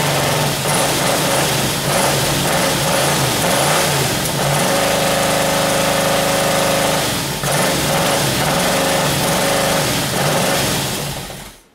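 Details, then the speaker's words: 1978 Camaro 350 V8 with exhaust fitted, warmed to 190 degrees, idling and revving: light quick ticking, lifters rattling and needing reset. "all righty i had some vacuum covers come on back on up to 190 degrees now with the exhaust on there i can hear the lifters rattling so now i can go and uh go through and reset those"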